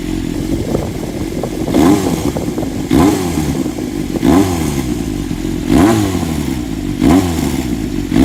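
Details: Honda CBX400F with pre-regulation (規制前) RPM exhaust, at low rpm: loud rumbling four with uneven surges about once a second and a faint clatter underneath; abnormal engine noise, cause unknown.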